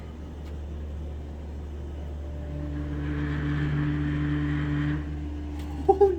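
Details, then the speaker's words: 1970s Dover hydraulic elevator, very squeaky and said to be low on oil: a low, steady pump-motor hum through the wall with a rising groan as the car travels up. The pump motor is noisy and in bad shape. "you can definitely hear it though damn okay that was bad"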